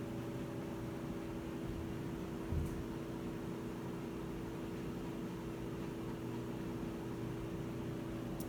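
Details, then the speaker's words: Whirlpool top-load washer not spinning after recalibration, in drain and spin cycle: only steady drain pump hum, drum never turns. "lo único que escuchamos es la bomba del desagüe pero fuera de ahí no nos está haciendo nada"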